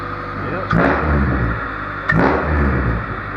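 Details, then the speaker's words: Honda Civic D16Z6 after fixing a high, surging idle (not the IACV), coolant topped off and restarted: a petrol engine idling with a steady, level hum and two brief knocks nearby. Normal idle after the repair. "well there you go guys pretty simple fix but if you didn't know that was there it would probably be a nightmare"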